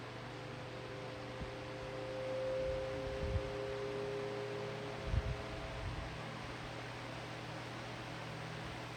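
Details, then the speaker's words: Lasko high-velocity fan starting up on low speed, microphone right up against it: a thin steady whine rises as the motor spins up; normal startup sound. "I think low speed has the best startup sound, but it does whine pretty loudly with the winding sound or the humming sound on medium."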